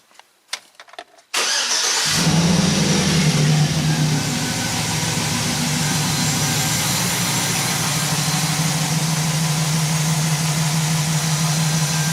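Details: 2009 Chevy Silverado with AFM engine and the valve cover off, cranking and idling: a slightly lumpy, uneven idle pulse from a misfire, consistent with one cylinder's collapsed lifter or valve problem.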